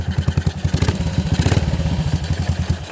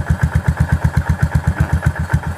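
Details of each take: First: Yamaha SR400 single-cylinder motorcycle idling with loud, clattery beat; valve rocker arms found with too much side-to-side play; oil reaching the head is normal. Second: Yamaha SR400 after repair of loud valve-rocker clatter: a slow, even single-cylinder thump at steady idle with no top-end ticking, much quieter than before. Normal idle.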